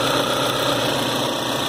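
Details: 2010 Citroën C4 Hatch 2.0 at its 50,000 km service, where the heat exchanger and belt kit were replaced, restarted afterwards: steady, even idle with a smooth hum and no ticking, slapping or whine from the front of the engine. Normal idle.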